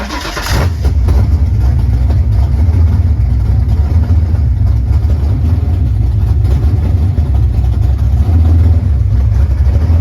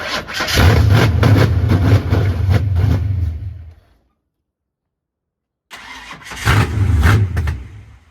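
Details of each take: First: 1989 Ford Mustang GT Fox body V8 after replacing the bad throttle position sensor: catches and settles into a steady, even low idle around 900 rpm with no stumble; definitely better, still needs fine tuning. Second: 1989 Ford Mustang GT Foxbody 5.0 V8 (cammed), first runs after starter wiring fix: catches, runs lumpy a few seconds, dies, refires unevenly; idle screw adjusted, still 5 volts at throttle position sensor, suspected faulty TPS, head ground also addressed.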